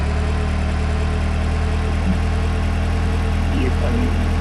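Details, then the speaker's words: Engine that previously cranked but wouldn't run with P0132 and over ten codes, now idling after a disconnected control-module breakout connector was restored: smooth, even idle with steady low hum, no misses or knocks; codes cleared, running normally. "see and hear it running very well now and no more I had about 10 more than 10 codes which have all disappeared with just one p."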